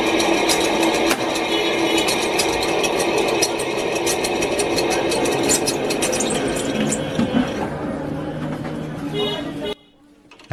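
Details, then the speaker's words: Ceiling fan in Bangladesh being repaired: worn old shaft bearing made heavy noise, a fast busy rattling clatter about three per second over the fan's whir. It is being replaced with two new bearings, typically 62-series and 6203 types. "দেখুন খুলে গেল পুরাতন bearing fan ব্যাপক শব্দ হচ্ছিল আমরা পুরাতন বেয়ারিংটি পরিবর্তন করে নতুন দুটি বেয়ারিং লাগিয়ে দেব"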